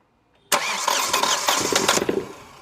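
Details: Hyundai Xcent 1.2 diesel, 188,657 km, engine stone cold, replaced engine: rough uneven cranking clatter over a second before it catches and settles; hard starting, seemingly low compression when cold.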